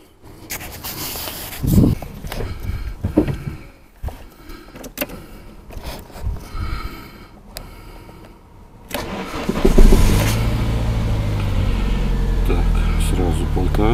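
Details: Samand sedan after idle air control valve replacement, previously with hunting idle, stalling and hard starting: engine catches on the first try and settles into a steady, even fast idle with no stumbling; revs then drop toward about 1000.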